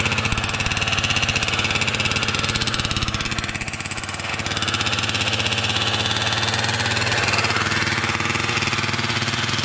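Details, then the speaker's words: Losi 5T RC car with 34cc Zenoah gas engine on a stand, choke on, pump gas: rapid buzzy firing that sags midway then picks back up; surging, running poorly, cause unknown; owner says it sounded good when bought. "sounded good when I bought it from boy but that is not it moment that is not it homie that's why I do not do this gas"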